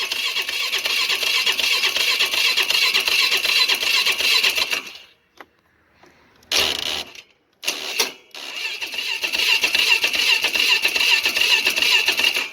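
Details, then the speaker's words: Polaris Sportsman 500 HO ATV with 661 hours, choke on, with starting fluid: the starter spins at a steady quick whir with pauses between tries and never catches; no spark. "Well, she doesn't even do a attempt to start with the gold juice, so that tell there's some sort of a spark issue going on."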